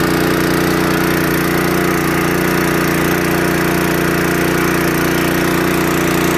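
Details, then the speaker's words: Restored seized, water-damaged Honda water pump engine after carburetor cleaning and adjustment, pumping water from a barrel: even, steady small-engine drone, smooth low beat, no knocks or misses; runs healthy under pumping load. "yeah she seems to be pumping great now i did empty the barrel fairly quick"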